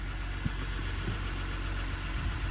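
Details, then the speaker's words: Dodge Ram 1500 diesel at auction, listed with mechanical damage, starts right up with oil pressure mid-gauge and a slight whine noted: low, even diesel rumble at idle with no knocks or misses. Normal diesel idle. "I don't really know how these are supposed to sound to me that sounds like a diesel normal diesel"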